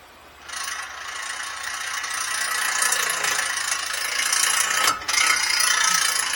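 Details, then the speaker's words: 2020 Ford F-150 integrated wheel end partly engaged at about five inches of vacuum while the axle turns: harsh, fast metallic ratcheting rattle; left front wheel bearing was already replaced on a wrong wheel-bearing diagnosis. "hear that rattling so the axle's turning but this iwe is partially engaged you see it rattling on that"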